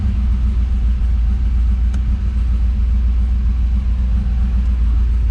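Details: Turbo LS V8 in a 4x4 Hilux, in neutral just after restarting the rebuilt motor following pushrod concerns: deep, steady burble with an even low rumble and no knocks or misses; runs smoothly and healthy.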